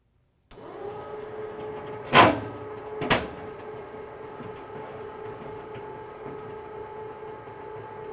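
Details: SaltDogg PRO1500CH/2000CH/2500CH spreader, new gear motor after replacement, briefly powered with red to red and black to green to check the chain doesn't lock up: low steady hum, two brief clunks early, then runs evenly without binding. Healthy.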